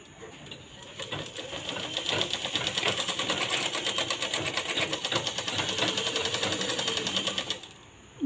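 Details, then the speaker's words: Sewing machine after the bobbin case was re-seated firmly (it had been making a loud noise, with poor stitching and thread breaking): a quick, even stitching rattle at about three strokes a second, no harsh clatter; now quiet with proper stitches. "आता आपल्या मशीनचा आवाजही कमी येत आहे आणि शिलाई आपली व्यवस्थित व्यवस्थित आलेली आहे"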